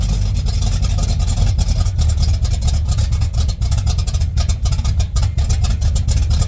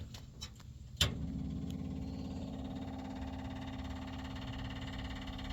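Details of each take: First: 1959 GMC truck with rebuilt Holley carburetor running from the freshly cleaned factory fuel tank: low, steady rumble with an even beat, no misses or stumbles; normal idle. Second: 1959 GMC, factory fuel tank cleaned and refitted with 5 gallons, key-on: sharp click then fast even clicky ticking hum as the electric fuel pump primes, should quiet once pulling fuel; electric fuel pump clicking while priming.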